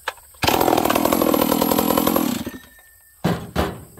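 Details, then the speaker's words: Stihl 038 two-stroke chainsaw, not yet warmed up, after leaning the low-speed jet that was running rich: fires and runs at a steady crisp buzz with no RPM dip on start-up: normal start without RPM sag. "and look when i start it up it doesn't it's not low in rpm and then comes back up listen"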